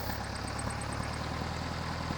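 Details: Air-cooled VW at idle: low, lumpy idle with an uneven beat and faint hiss over the exhaust thrum. Rough idle from a vacuum leak, with both intake manifold boots found cracked by starter fluid test; boots being replaced with new silicone-rubber ones.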